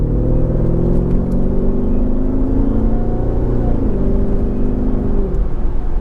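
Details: 2004 Jaguar XKR V8 with an upgraded exhaust, 4 of 5 silencers removed: deep, heavy boom that swells then eases between 1400 and 1600 rpm cruising revs; exhaust drone, owner suspects the rear bumper reverberating, fix not confirmed.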